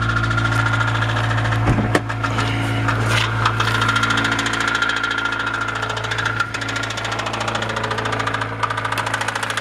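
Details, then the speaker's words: Honda B16A engine at idle: regular light knocking about three and a half per second, continuing in neutral; source unknown. "Опускаю нейтральную передачу. Стук продолжается."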